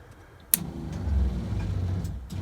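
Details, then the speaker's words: RV water heater bypass valves set to bypass for winterizing: a click, then a low steady water pump drone that never shuts off, because the bypass valves were installed backwards. "you hear that okay so it's never fully shutting off and I thought well that's that's really odd so what I find out is after doing a bit of research and looking is they put the valves on backwards"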